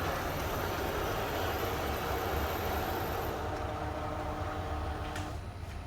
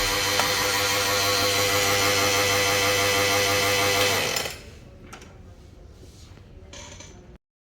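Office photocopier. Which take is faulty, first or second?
second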